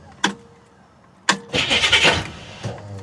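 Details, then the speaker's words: 1966 Chevy Impala with 427 big-block V8, first start after sitting about two weeks and running poorly: two sharp starter clunks then a short ragged crank burst, the starter repeatedly dropping out before the engine catches; failing starter. "Oh, a damn starter. Yeah, that starter. Every time she tries to kick off, the starter fails."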